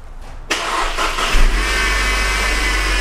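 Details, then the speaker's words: 2013 Mercedes C250 engine at idle, hood open, just started: thin high dental-drill-like whine from up front, mistakable for power steering pump or timing chain, actually a bad idler pulley bearing. "Okay, and you can hear that whining. It's kind of like a dental machine."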